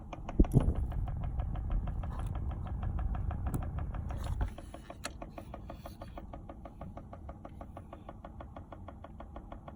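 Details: Volkswagen Golf Mk5: a rapid, light tick about six times a second over the low running hum, coming from behind the dashboard; source unknown.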